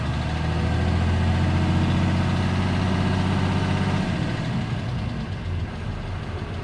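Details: 2013 Ram 2500 6.7 Cummins diesel, 39,000 miles, G-56 six-speed manual: light steady tick over the idle rumble, also present revving and under load, from valve lash way out of spec (some exhaust valves at .032"); reset to .010" intake/.026" exhaust.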